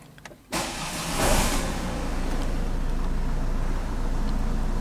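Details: 2013 Ford Kuga 2.0 TDCi brought in as a no-crank, no-start with an ECU fault traced via power, grounds and CAN high/low checks, after repair: brief crank, diesel catches within about half a second and settles into a steady, even idle; normal crank and start.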